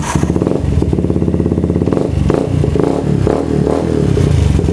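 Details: Yamaha Vixion with a charging fault (battery draining, engine dying): steady, even engine beat at constant pitch, no misfires or knocks; the bike runs smoothly.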